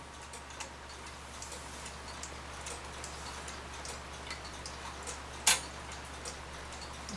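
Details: Hamilton carriage clock with balance escapement, needing oiling and previously damaged by poking: steady light ticking, one sharp click near five seconds, then nothing. Movement runs but the chime, which should play, never starts.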